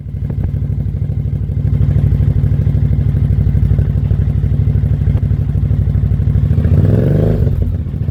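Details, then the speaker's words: 2003 Suzuki V-Strom DL1000 that had not been getting fuel or starting, now running after a new fuel pressure regulator, a fuel pump recheck and a new relay: it fires in an even, steady beat with a brief blip and idles cleanly. "I'm just explaining how excited I am the bike is running after all this time and effort."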